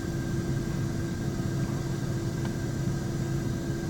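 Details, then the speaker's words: 2003 Dodge Dakota 3.9 with earlier misfire and bucking, after new fuel pump, wires, plugs, intake electrical parts and vacuum lines: even, steady, smooth idle with no stumble or former idle vibration; normal idle. "seems to be running really smooth I mean really smooth I used to have a little bit of a vibration when I'd sit at an idle"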